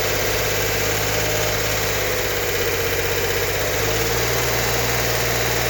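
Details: 1964 Corvair Monza Spyder turbo with a freshly rebuilt engine, first startup after the fuel pressure regulator feed was opened. The engine catches and settles into a steady, even idle with no knocks or misses.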